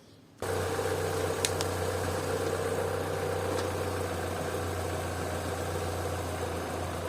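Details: Opel/Vauxhall with intermittent high idle (2000–3000 rpm, now about 800), water sprayed around the engine to find a vacuum leak: smooth steady idle, no hiss, no rpm change. No vacuum leak; throttle body suspected next.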